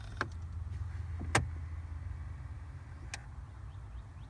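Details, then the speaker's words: Jeep Wrangler JK after replacing the heater/AC blend door actuator, set to full cold: a soft, brief motor whir over the idling engine, stopping cleanly with no clacking; the actuator is working normally. "full cold well I hear the motor turning so I'm going to just go ahead and assume that the Jeep is happy for"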